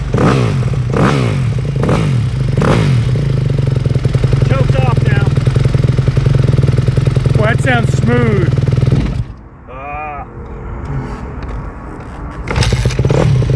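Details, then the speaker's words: 2008 Yamaha YZ250F four-stroke single after full rebuild, warming up after first start: fast idle thumping with an uneven mechanical clatter over it; abnormal engine noise, cause not determined. "ah let warm up you hear that yeah well we got the bike started did you hear that noise we did something's not right"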